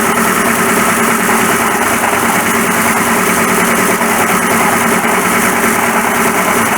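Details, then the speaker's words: 1941 Ford pickup at idle, noise suddenly got much worse: a steady harsh rattle and whirr at constant pitch from a replacement water pump that is failing, its dry, oil-starved bush chattering. "It's really horrible."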